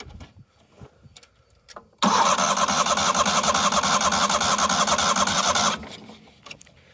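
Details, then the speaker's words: 1998 Yazoo YTKC22 three-wheel mower at half choke, fuel now reaching the carb and needle and seat not stuck: cranks steadily about four seconds with uneven puffs that never catch; no start, possibly thirsty or flooded. "we give it half choke and try that again okay so um yeah I don't know why it's not maybe it's just really thirsty or something"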